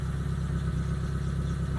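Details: T120SS after replacing the 30 A glass fuse beside the battery that left indicators dead and the engine not cranking: low, smooth idle holding steady with no misses, knocks or ticks; normal idle.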